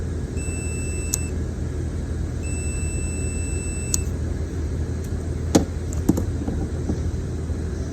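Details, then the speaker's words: New Grasshopper zero-turn mower seat switch assembly checked with meter leads. Two steady high beeps, each about a second long, as the switch is pressed, showing good continuity on the new switch. "Let's go ahead and hook our leads up. And I'll depress the switch just to verify that the new one's good."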